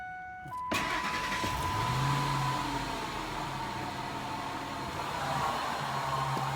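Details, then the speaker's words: 2003 Ford F-150 4.6 V8 after replacing belt tensioner and idler pulley: starts and idles with same steady droning roar and faint whine under hood; pulleys not the cause, owner now suspects AC compressor. "well got to admit when I'm wrong and this is one of them times where I'm wrong so I started up I had that same noise"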